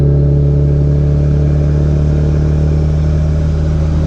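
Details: B3000 pickup with Cummins turbo swap, driving after the build, light load: deep, steady, smooth diesel drone with no knocks or whistles; loud and healthy, running good.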